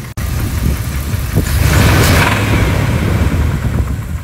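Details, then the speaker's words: 1997 Dodge Ram 1500 5.2 Magnum V8, warm after 10-mile test drive, oil pressure slightly down: deep uneven knock about four per second under the running note, worse than before; Lucas additive fix lasted about 10 miles. Rod bearing knock. "yeah it's definitely worse so the answer is the bearing and Lucas trick lasted about 10 miles maybe a little more"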